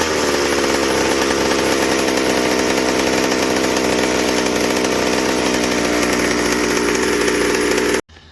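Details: McCulloch 790 chainsaw frame with MC101 kart engine, new header and pipe, 3D-printed carb adaptor: wide-open high buzzing scream without four-stroking burble; carb can't dump enough fuel at high speed, running lean.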